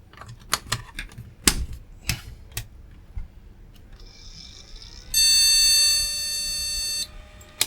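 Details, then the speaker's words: Retro AT-era PC, cleaned known-good RAM strip moved into the last memory slot: a few handling clicks, then one long steady beep of about two seconds; the board rejects memory in that slot (POST error). "doesn't like that one at the moment nope still doesn't like this one"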